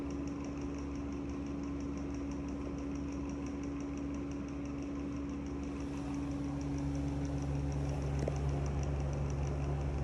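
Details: Deta DEX200 exhaust fan running with a deep, steady rumble and a fine rattling tick over a low hum from very bad motor bearings.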